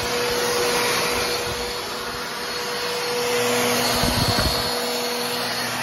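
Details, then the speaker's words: Trash-picked Bissell Powerforce Helix Turbo 68C71 vacuum (older version): steady roar with uneven, wavering tone and rattle near the end; has suction but motor runs rough, owner expects motor work, probably just a cleaning. "it does have suction doesn't sound the greatest but it I think it's doable I'll do have to I'll have to do a little bit of motor work to it"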